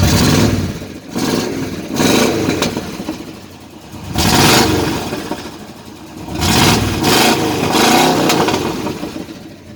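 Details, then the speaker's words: Chevrolet C10 truck with unmodified V8: loud raw revs with crackling pops on throttle closing, muffler fallen off and hanging so exhaust runs straight without the resonator; it also scrapes on speed bumps, to be fixed with a clamp. "hasta escuchar cómo avienta palomitas una 8 aventando palomitas sin modificar el motor increíble"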